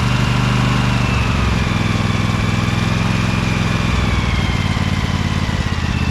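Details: Little Wonder hedge trimmer, Briggs Vanguard 23 hp V-twin, after primer bulb replacement and carburetor clean, started choked at low throttle with brake on: steady even beat, no knocks or misses; runs nicely now, normal.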